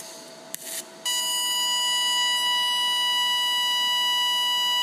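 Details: Lincoln Electric Aspect 230 AC/DC TIG welder, DC pulsed TIG on 304 stainless steel at about 1,000 pulse frequency: after a short start the arc settles into a piercing, steady, loud high-pitched buzz; normal pulsed TIG arc.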